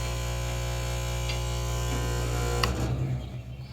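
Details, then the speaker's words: Vibratory feeder (110 V) on a rebuilt American International Mfg. Cascade Air Leg air classifier, turned all the way up: a strong steady mains-rate buzz and low hum with no rattles, showing good vibration and agitation. "You can hear it really start to buzz there. Has a lot of vibration, a lot of good agitation."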